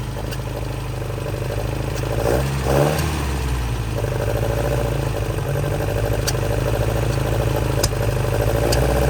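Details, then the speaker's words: 1966 Volvo Amazon 122 estate, long abandoned, first run after being jump-started: engine revs unevenly with sharp pops and cracks over the running note; suspected lean backfire, possibly running out of fuel, not confirmed. "Listen to this sucker purr. I think it's a lean backfire."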